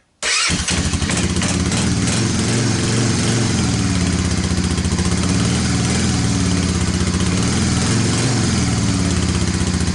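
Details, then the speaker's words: 1998 Honda FourTrax 300 ATV, cold start after new battery installed: one short crank, catches immediately, settles into steady even single-cylinder idle; charging about 14 volts; healthy start. "well that's left is a cold start and check to make sure the voltage is proper okay let's see if she's going to"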